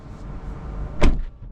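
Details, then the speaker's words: New 2024 Tesla Model 3 Highland, standard range: a single solid thud with a short clean settle and no rattle or buzz afterward, the door closing really firmly; normal door close. "it's so firm it's it's really really firm it just closes in nicely"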